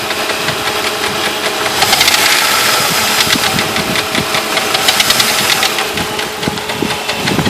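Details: Jeep Grand Cherokee at idle: irregular sharp ticking knocks about four a second over a busy, hissy idle, seemingly from the mid-to-upper front of the engine. Owner considered the flexplate but doubts it; source not pinned down.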